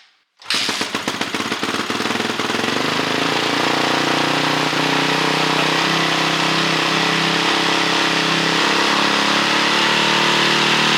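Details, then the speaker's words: 2006 Honda CRF450X with a 450R top end, first start after the rebuild, with the idle screw just adjusted: it catches and settles into a quick, even, steady rattly idle without stumbling, with slight smoke from burning off residue; normal idle. "That sounds pretty good."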